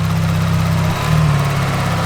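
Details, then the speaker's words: Procharged, cammed Chevy Camaro V8, underperforming with air surging: deep lumpy idle, throttle blips bring a faint squeak each time; owner guesses a broken internal wastegate, source undetermined. "maybe one of the internal wastegates are broken on the turbos because like it's squeaking every time he hits the gas"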